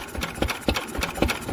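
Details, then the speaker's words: Old Lister stationary engine with magneto drive, after magneto chain adjustment: even, crisp firing about four beats a second with exposed valve and fuel pump clatter, running smoothly and healthy. "yep that sound an absolute treat and i love it all little exposed valves exposed fuel pump it's all good stuff"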